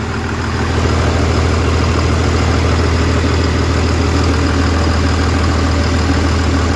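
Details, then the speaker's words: Diesel truck with a new transmission, first start after reassembly and bleeding the injectors: deep, even chug settling into a steady idle with no knocks or misses; healthy, no check engine lights. "oh she's healthy all right so she runs no check engine lights"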